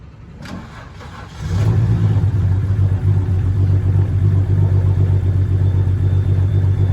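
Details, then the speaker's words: BMW 330i at start-up after a major service (new spark plugs, VANOS actuator, valve cover gasket): engine catches, then idles with an uneven stumbling beat. Misfire on two cylinders; swapping those coil packs cleared it, possibly from an unseated connector or poor seal. "तो ध्यान से सुनो जब गाड़ी start हो रही है तो इंजन मिस फायर कर रहे हैं"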